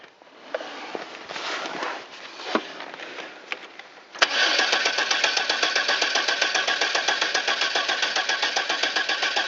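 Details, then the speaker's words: Cold-start Safari van at 14°F after sitting most of the winter, following fitting the rotor and blow-drying wet plug wires: after long cranking the engine catches and settles into a steady, regular idle. The owner also suspects an intake gasket leak. Hard starting. "shoot I'm sure I got probably from cranking it so much looks like we got her going"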